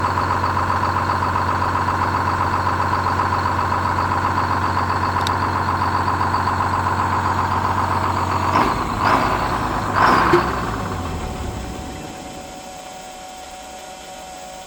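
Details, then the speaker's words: Detroit diesel GMC B7000 truck idling after emergency air shutdown cable installed: steady idle for eight seconds, then a couple of sharp pops and the engine dies; shutdown cable adjusted too tight, slowly closing the air shutoff. "And I've got the cable adjusted too tight for the emergency air shut off. So, when it's running, it's keeping that up just a little bit. And then eventually, it just shuts itself and shuts the motor off."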